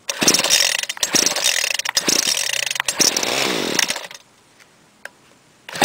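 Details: 1995 Ryobi 700R gas trimmer, 31cc two-stroke on 32:1 mix, after priming: several sharp pull bursts, then it fires and buzzes steadily for a couple of seconds before shutting off; starts and runs fine.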